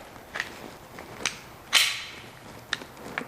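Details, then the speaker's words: Mazda Miata convertible top latch after installing screw in posi-latch fix, before fitting clasp cushion: light metallic clicks and a sharp clack as it locks, loose rattle. "oh yeah well we can hear it there's a rattle to it now little a rattle there it locks"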